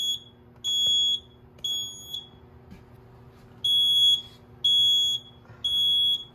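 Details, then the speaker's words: School fire alarm test, Edwards 6500 and IO64 systems: high shrill beeps in roughly one-second bursts repeating about once a second, a supervisory signal left unacknowledged on purpose so it is heard until reset. "I'm gonna leave it not acknowledged. That way I know when it's reset. That's the smarter thing to do, is not acknowledge it so I can hear it when I'm out here waiting to yell."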